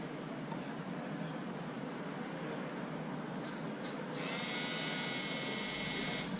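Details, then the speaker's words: 2019 Honda Accord rear electric parking brake caliper motor, powered off a jump box with polarity switched to retract the piston: steady high whine a couple of seconds over shop hum, then stops as the piston bottoms; caliper disengaged normally. "that's it and the piston pretty much stopped there you go your caliper is successfully disengaged"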